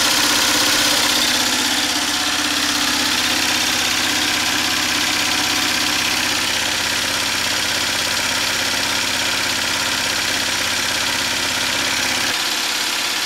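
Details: DIY 12V DC gasoline engine-alternator generator running with battery bank and inverter: steady, even drone at constant pitch, no knocks or misses, then a drop in load near the end; normal running under load.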